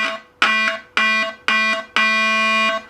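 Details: NuTone Model 478 apartment control amplifier on its second repair, after touching up cracked solder joints on the pins, ring common screw touched: four clean ring tones about a second apart, last held longer, crisp with no dropouts; ring circuit working normally.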